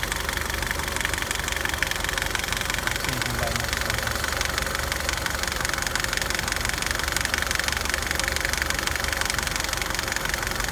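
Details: 2009 Nissan Altima petrol engine at idle making a loud, continuous, steady clicking of about four ticks a second, coming from the passenger side of the engine; cause unknown.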